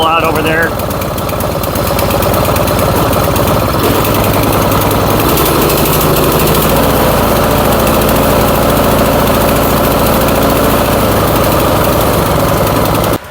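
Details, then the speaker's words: Troy-Bilt Storm 2410 snowblower found scrapped, carburetor rebuilt and crankcase refilled: lumpy, uneven single-cylinder running, smoking; owner suspects it was run with gas in the crankcase, washing out the rings. "Yeah, she doesn't sound real good, does it? I have a feeling what happened with this, and this is probably why they threw it out, is they probably ran it like this for a while with all that gas in it, and it's it's washed the rings out of the motor."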